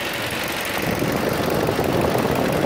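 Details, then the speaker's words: 2009 Ford Focus whose radiator fans would not switch on (missing 12 V/ground to fan) now fixed: steady whooshing fan rush over smooth idle, fan kicks in after revving raises coolant temperature, cooling from about 203 toward 197 °F. "ahorita al estarle acelerando fue cuando cuando subió más la temperatura y prendió pero miren está bajando 197 lo está enfriando cada vez más"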